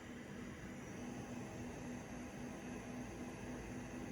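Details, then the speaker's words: XFX RX 580 8GB graphics card after disassembly, cleaning and GPU repasting, under load with the side panel off; it sounded like a jet before: a soft, even airy whoosh and faint hum with no rattle. Normal fan running. "it's odd that it's not that bad because I have a side panel off"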